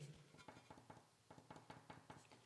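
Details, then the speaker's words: Hero 100cc engine, valve/tappet clearance check: rocker arm rocked left-right gives light metallic clicks about five per second with visible side play; click sideways but not up-down means clearance is correct, addressing the tick-tick noise. "Left right करते टाइम आप ये साउंड सुन सकते हैं, और जो मूवमेंट है अगर आप कैमरे में देख पा रहे हो, आई होप ये जो मूवमेंट है ये रहना चाहिए"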